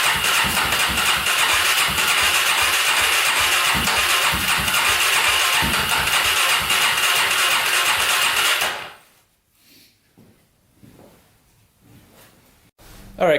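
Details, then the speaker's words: Polaris Predator 500cc quad, first start attempt after compression work, carburetor on, spark and fuel: fast even cranking chatter around three beats a second for nine seconds, never fires; cranking no-start. "second attempt first attempt did not go let's put some more gas on the carburetor try this again"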